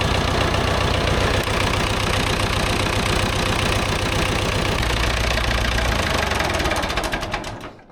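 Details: Vintage David Brown 990 diesel tractor, abandoned 20+ years after tipping over while running, restarted after fuel flush and new fuel: steady deep even idle clatter, then shut down and winding to a stop; sounds healthy.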